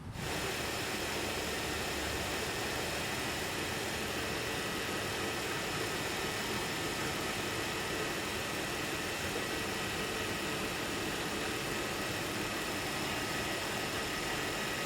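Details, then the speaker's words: Engine idling after power steering or transmission hose repair, reservoir filled to max: steady, even idle hum with smooth hiss, no knocks, ticks or whine; level holds at maximum, no leaks at clamps, running normally. "sounds good, the level's staying at the maximum level, and I checked the clamps on each end and there's no leaks."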